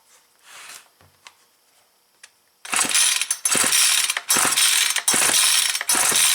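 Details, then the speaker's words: Yard-sale Ryobi S430 four-cycle weed eater, old gas drained, fresh gas added and carb primed: quick ratcheting pulls about four a second, engine spins but never fires and draws no gas; no start, a piece of the carburetor body found broken off and bent. "got this cover removed and this little piece of the carburetor body is broke off if you look real close right there that's bent"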